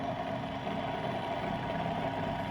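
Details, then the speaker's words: Old Soviet bench grinder motor after new 10 µF run capacitor and new grinding wheels, sharpening a knife: steady even hum, constant pitch, no knocks or wobble; runs normally. "Ну вот всё точит. [музыка] Всё работает."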